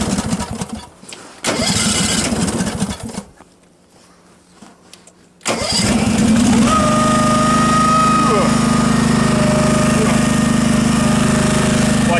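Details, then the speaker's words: Case 446 garden tractor, engine running: steady run with a thin squeal that holds then slides down in pitch; drive belt slipping. "what I'll do is try to get some video so you can actually hear it uh hear it slipping"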